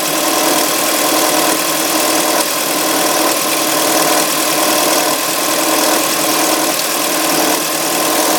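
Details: 2005 Audi A3 2.0 FSI cold start: loud, fast metallic clatter over a steady idle, pulsing about once a second, lasting about three minutes before normal injector sound; owner suspects the tensioner, unconfirmed.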